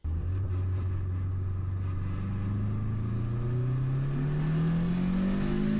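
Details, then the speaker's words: Small Honda engine with large diesel-truck variable geometry turbo, boost-pressure-based vane map, pull under load: smoothly rising tone, no flutter or whistle; turbo spools early, vanes open at high boost to cut exhaust restriction. "We can see that the turbo still spools up nice and early and the turbo opens back up to reduce that exhaust restriction."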